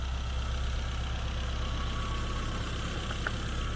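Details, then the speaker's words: Classic Mini Cooper, long off the road, with a new full exhaust system fitted: low, even idle with steady firing and no misses, knocks or ticks. It runs well. "that seems to run quite well"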